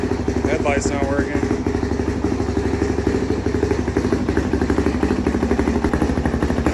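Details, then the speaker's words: 2005 Honda CRF450X sat 10 years, low compression suspected from valves, revived: even single-cylinder thumping with clean steady beat, no knocks or misses; not smoking, good throttle response. "but it's not smoking or anything it sounds good the throttle response is good it's not like choking out or anything"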